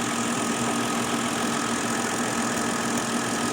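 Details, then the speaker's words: 2011 Kia Rondo with P0441 code, purge solenoid unplugged and canister hose removed at idle: thin, constant hissing whistle from the open purge line; normally closed valve stuck open, pulling about 17.5 inHg vacuum. "now we're gonna take and hook up the vacuum gauge and as you can see we are reading roughly a table seventeen and a half inches of a vacuum on to this now don't forget this valve is supposed to be normally closed"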